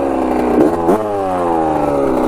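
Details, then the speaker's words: 1985 Yamaha YZ80 two-stroke dirt bike after rebuild, water pump working: crisp buzz climbs cleanly with each throttle blip, no misfire, knock or rattle; clutch works, front sprocket worn; engine runs healthy. "clutch is working too players are bald too sounds good doesn't it she's a little ripper"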